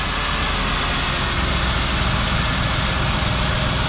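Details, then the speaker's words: 1997 Lincoln Mark VIII 4.6L DOHC V8 with 84,499 miles has a smooth, even idle with a low rumble and no ticks, knocks or misses; running well; oil pretty clean. "there's though running well take a look at the oil not bad pretty clean"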